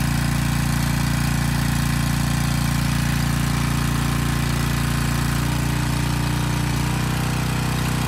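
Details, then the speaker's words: Briggs & Stratton Storm Responder generator repowered with a replacement 10 HP Briggs engine, under 3000 W heater load: steady loud deep drone holding about 58 Hz without hunting; starter assembly rattles on the engine. "okay not terrible but not great at least it was about 58 hertz under a 3000 watt load"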